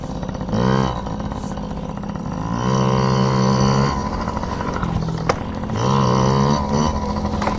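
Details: Yamaha PW50 two-stroke, just after carburetor cleaned (jets, float checked) to cure bogging and dying at wide open; warming up: picks up cleanly on each throttle blip, drops back without bogging or stalling, running healthy.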